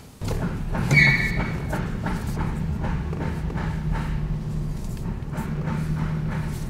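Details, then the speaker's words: 1982 Jaguar XJS V12, now running after no-start repairs: a smooth, even low idle swells briefly with a quick throttle chirp and settles straight back. It runs well, though an oil puddle appeared once it ran. "this thing runs really good as you heard i just did a little chirp with the with the gas pedal"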